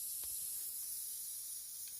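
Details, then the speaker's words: Corroded aluminium flange being restored with a Spika GTAW 200P AC/DC TIG welder: faint, steady high hiss as trapped moisture boils out of the hot metal after a single tack weld. "щоб ви почули такий шум шипить Тобто виходить волога з алюмінію"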